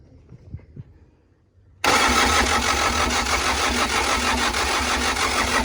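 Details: CAT 307SSR mini excavator, Mitsubishi engine, after fuel injection pump installation and timing for a no-start; after a quiet pause the diesel catches at once and settles into a steady, even clatter with no misses. Normal start.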